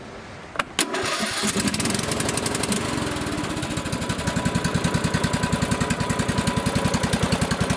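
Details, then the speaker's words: Lawn tractor with an older 15.5 hp single-cylinder replacement engine swapped in for a failed 20 hp one: fires right away after a short crank, settles into an even, steady beat with no misses or knocking; normal start and run. "And this engine here is a little bit older than the other one, and they're actually a bit better. And I'll just start it up here to show you."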